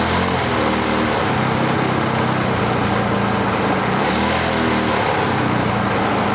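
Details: Homemade reel mower rebuilt with a different engine and an added oil reservoir/drip feed: loud continuous small-engine drone with a couple of brief speed swells as the engine fires and keeps running on its own.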